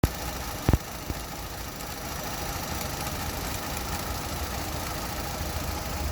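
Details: Opel Astra at idle: an uneven idle with a dull, irregular knock and sharp clicks, shaking and knocking felt in the cabin. Spark plugs and coil pack were replaced, there are no error codes, and the cause is unknown.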